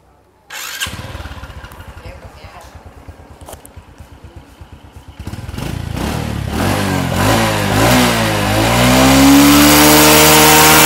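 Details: Engine after repair of smoking exhaust catches at once, settles into a quick even chug, then revs cleanly with no misfire or rattle; slight exhaust vapour remains until warmed up; sounds healthy.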